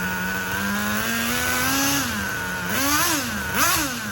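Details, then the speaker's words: HPI RS4 RTR3 nitro RC car, 20% nitro 12% oil fuel, engine preheated, break-in heat cycles: buzzing little nitro engine revs and holds, then pitch drops sharply and climbs as the two-speed shifts up with good smoke; normal two-speed shift. "Good amount of smoke, and I heard that 2-speed just hit. And now that we got that, guys, she sounds good enough to put her on the road right now, but we're going to run it through this 3rd tank, another heat cycle."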